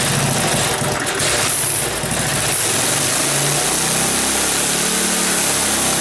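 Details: Briggs small single-cylinder go-kart engine, cold start in unheated garage, no throttle, started second pull: fast buzzing idle, slight surging; idling high, owner suspects previous users raised idle because it wouldn't keep running.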